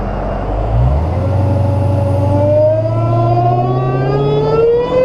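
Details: Dodge Hellcat supercharged V8 after installing a Legmaker (LMI) intake, on road: clear whistle climbing steadily in pitch with engine speed as the car pulls; normal, louder supercharger whine.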